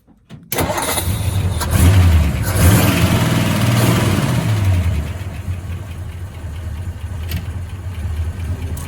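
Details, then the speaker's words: 1956 Ford F100 with 292 Thunderbird V8, custom headers, dual glass-pack exhaust: quick crank and catch, then low even burble at idle with faint lifter ticking, likely solid lifters; no smoke, runs quiet, normal start and idle. "And it runs very good, no smoke, it just runs real quiet. I think it's a solid lifters, you can hear lifters a little bit."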